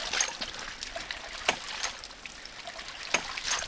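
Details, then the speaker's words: One-inch off-grid ram pump (7 ft input head, about 35 ft lift) after air is restored to its pressure tank, whose cracked cap had let the air out: soft trickling with light clicks and no hard hammering jump; normal cushioned operation. "let me go ahead and turn this back on and we should hear a difference in the sound see the jump is gone"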